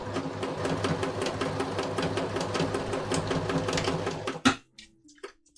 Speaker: that sounds a bit better when it picks up a little bit of speed what is that rattling noise seriously is it just a spool no i don't like this